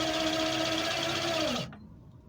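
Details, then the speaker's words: 2002 Kawasaki VN1500 electric reverse/parking motor, friction drive on rear tyre: smooth steady electric motor whine with rubber noise, dipping slightly before stopping cleanly; reverse drive works normally. "It's a friction drive on the rear tyre, which is why you can hear the rubber."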